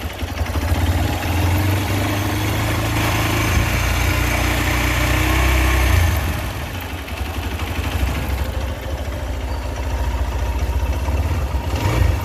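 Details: Hero XPulse at 1100 km, under warranty, idling: light, fairly steady tick over the low single-cylinder thump; service center says tappet noise, owner doubts this as bike is new; cause unconfirmed.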